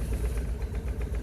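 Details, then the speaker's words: English Isetta single-cylinder, cold, fresh battery, carburetor float checked: after a small backfire, low even thump at about eight beats a second, no clicks, clacks or bangs; float level dropping. Normal idle. "good idol he's just running away really nice sounding engine that's how this ultrasound no clicks no clacks no bangs that sounds really good"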